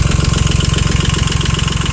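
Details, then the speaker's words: Yanmar YM2500 rear-drive Japanese mini tractor, three-cylinder diesel, 1004 engine hours: even chugging idle with no misses, knocks or wander; smooth, healthy engine. "который, как слышно, достаточно ровно и хорошо работает."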